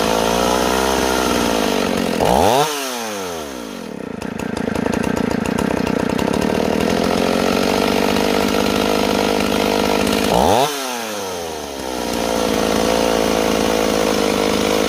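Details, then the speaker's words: Stihl 028 chainsaw, idle deliberately turned way up while tuning: high buzzy idle sags twice in about fifteen seconds then recovers; unstable, owner suspects air leak between carburetor and intake boot, not confirmed. "Notice I turned the idle way up earlier. The reason I do that is because it's hard for me to pull cord, and so it's easier for me to turn that idle way up to keep the saw from dying and work the tuning from there,"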